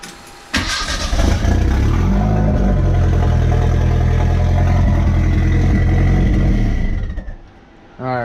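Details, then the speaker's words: Merkur XR4TI being started and revved with its exhaust disconnected: starter cranks, then a loud, deep, raw unmuffled rumble with throttle blips, recorded as the before sound ahead of reconnecting the exhaust. "But yeah, I'm gonna get this exhaust all hooked back up and stuff, and hopefully it's a lot quieter."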